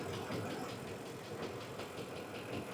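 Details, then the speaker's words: 2006 Ford F-150 5.4L V8 at idle, hood up, AC off: steady idle with a sharp, quick tick a few per second, louder than these engines should tick; aggressive engine tick, TSB for engine noise possibly applicable. "It sounds like the forward tap but a little more aggressive. >> Let me get the hood up. Yeah. Oh, yeah. That gets shut the AC off. Do it again. Yeah, that's a that's got that's got a pretty aggressive little noise there."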